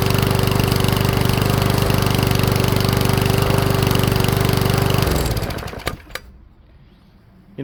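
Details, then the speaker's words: Powersmart 170cc lawnmower after valve adjustment, now much easier to pull: steady single-cylinder thump around 180 a minute with faint pops, then it winds down. Still popping; running a little slow. "it still does that little popping sound and I don't think that I'm going to be too concerned about that because it certainly pulls over way easier than it did before"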